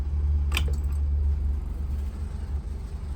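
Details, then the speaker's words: 1994 Holiday Rambler diesel pusher: the key is turned off and the instruments die, but the low diesel rumble continues unchanged with no wind-down. The fuel shut-off solenoid is suspected of not cutting fuel. "and you can see all the instruments have shut off and if you can hear it the engine's still running so the key is off but the engine still running"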